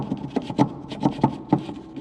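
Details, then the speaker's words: Citroen C4 rear suspension noise traced to the rear shock absorber bump stop. Dry, hollow plastic clacks with some rubbing as the loose bump stop knocks against its seat over bumps: bump stop knocking. "o barulho está aqui gente olha não batente do amortecedor o barulho é esse que hora que parava depois dependendo buraco"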